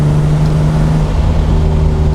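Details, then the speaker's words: BMW E36 M3 on first test drive after head gasket and exhaust valve rebuild, about 30 mph in third gear, at operating temperature. Deep heavy booming drone under acceleration, no knocks; the muffler has failed. "That muffler sounds like crap though. Wait for it. That does not sound good. The muffler has definitely gone bad, so we might need a new exhaust."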